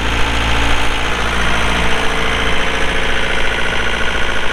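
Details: 2006 John Deere 4320 tractor, pre-emissions 48HP Yanmar diesel, 1,655 hours; steady, even idle clatter with no misses or knocks; normal idle.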